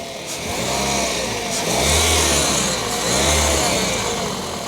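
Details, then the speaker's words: 2008 Toyota Yaris E automatic, 96,000 km: engine rises and falls with throttle blips after start, with a hissing whir on top from a worn alternator bearing, which needs replacing. "jadi suaranya ketika start engine pertama dan ketiga di gas ada suara seperti ini"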